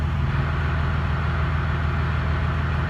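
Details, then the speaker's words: 2017 Ram 2500 Cummins diesel, G56 manual with new Valair quiet organic dual disc clutch, stock ATF+4 before fluid change, idling clutch out: deep idle with low rapid rattle, gear rollover noise inherent to dual disc clutch, not a fault. "just gear rollover noise that's just something that's inherent with a dual disc clutch"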